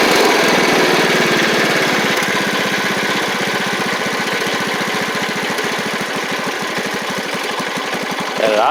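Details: Troy-Bilt Pony 42X Powermore single-cylinder engine after fitting a replacement carburetor: a steady, even putter at about four beats a second dropping to idle. Runs well aside from an occasional backfire; idle may need slight adjustment.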